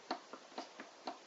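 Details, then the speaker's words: Logic DM-101 turntable during service: motor has about 1.5 mm of movement and ticks at roughly two to four clicks a second as it rocks up and down in a quiet room; the motor mount needs tightening from underneath. "about a 1.5 mil of movement there, and you can hear it clicking as it goes up and down. So the motor mount will need tightening from underneath."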